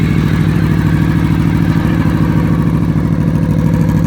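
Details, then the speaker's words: Honda VFR800 Interceptor V4 reverse trike with a '96 Ninja radiator, loud exhaust, recorded on a phone mic; loud, even exhaust burble with steady pulse and clean rev pickup, no knocks or rattles; normal idle and revving. "I love that sound. Rev it up a little bit."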